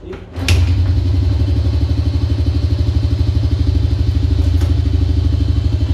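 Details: Honda Dream single-cylinder motorcycle that would not start, fixed by cleaning the spark plug and adjusting carburetor air and mixture screws: settles into a steady, even thump of about three beats a second with no misses; healthy idle.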